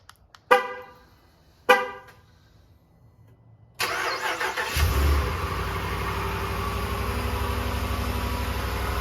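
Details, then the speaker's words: 5.7 Hemi V8 on Red Line 5W30, about 600 miles on the oil, cold start at 31°F after sitting three days: two chirps, quick crank, steady, even idle with no piston slap or knock. "smooth as butter no pistol slip no nothing"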